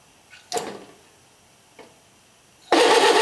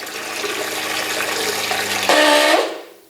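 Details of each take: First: RV on-demand water pump with the faucet barely open, like a leaky faucet: short clicks, then a hard buzzing rattle as pressure drops and the pump kicks in, chattering on and off with heavy vibration from low-flow cycling. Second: RV on-demand water pump on the bench, self-primed from empty lines, with the outlet valve closed: steady motor hum rises slightly as pressure builds to about 40 psi, then the pressure switch opens and cuts the motor off cleanly.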